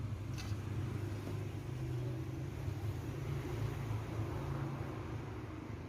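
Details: VICTOR 20-inch electric fan after its seized bushing was replaced with a ball bearing and its capacitor checked at 1.47 µF of 1.5: steady, even low hum with no scraping, ticking or rattle; fan spinning freely, normal running.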